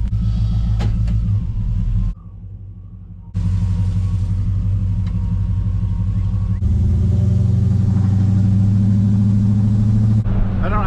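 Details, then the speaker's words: GMC Squarebody shop truck with junkyard LS V8, after Holley Terminator X swap and tightening a loose bolt leaving a wire dangling that caused misfire: even, steady rumble pulling smoothly through revs, all eight cylinders firing. "yeah yeah everything's looking good let's see how she"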